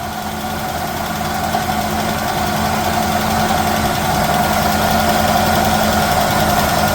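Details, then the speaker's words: 1969 Chevelle small-block Chevy V8: steady rumbling idle with a constant high-pitched whir on top; water pump bearings sound bad, maybe slight lifter tick. "The water pump bearings sound real bad though, Dad."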